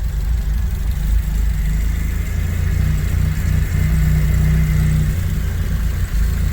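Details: Datsun Roadster resto-mod at start-up, key on and pump running, radiator cleaner in the coolant: steady, even idle with a smooth low rumble and no knocks, misses or hunting; running healthy.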